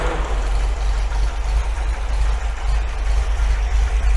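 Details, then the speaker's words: 1980 MGB after timing and carb balance/mixture adjustment, air cleaners fitted: deep, low idle burble with slight lope of about three beats a second, otherwise even; normal camshaft-related unevenness, sounds spot on, CO slightly rich. "you always get that slightly uneven idol in these because of camshaft and stuff like that and just the way they are you know i mean so to be honest with you that sounds spot on to me"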